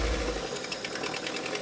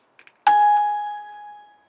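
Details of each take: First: 1980s MG Austin Rover turbo barn-find car running on fuel fed by syringe: light, fast clatter of a small engine idling unevenly but keeping running; fuel pump still to be checked, fuel gauge reads empty. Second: 1980s MG/Austin Rover turbo barn-find car: chime then sluggish, uneven, labouring crank at two to three turns per second; spark present but battery weak, jump pack to be fitted next.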